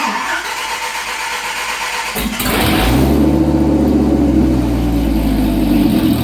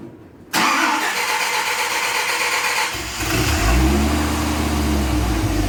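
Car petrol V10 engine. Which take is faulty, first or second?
first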